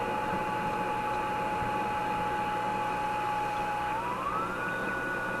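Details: Simplex antique vacuum tube radio during troubleshooting, tuned near 1000–1600 kHz: steady high whistle over hiss sliding up in pitch while tuning, weak reception; heterodyne squeal suspected from badly misaligned stages.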